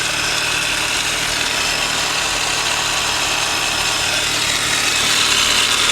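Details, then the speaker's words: 2003 Mini Cooper S, supercharged, 6-speed manual, 181,000 miles: a steady idle with a loud, even hiss and whir up front and no clear knock. A failing pulley or the valvetrain is suspected, not confirmed. "she's got good looking tires that sound a little loud up here though don't you i don't know what do you think that is it sounds like we got a pulley or something going out"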